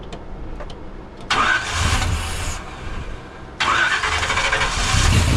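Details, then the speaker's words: 1976 Chevrolet C30 dually, freshly swapped Gen 6 454 big block with hydraulic roller cam, idle speed just adjusted and timing possibly too advanced: catches, revs briefly, dies, refires; engine starts but will not idle. "This thing will not idle. Back off the timing just a touch again."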